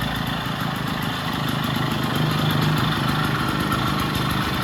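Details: Vintage Jacobsen two-stroke reel greens mower, first start after sitting, extra oil in cylinder and fuel, off choke with governor not yet sorted; steady buzzy idle, quick even beat around 220 a minute; runs smooth and healthy.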